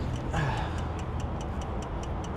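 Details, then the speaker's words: 2006 Dodge RAM 3500 with 5.9 diesel, key on, engine off: steady light clicking about five times a second over a low hum; relay chattering from loose fuse box terminals. "Crank on this bad boy. Okay. You ready? Yeah. Still clicking. Still clicking. What in the heck is that?"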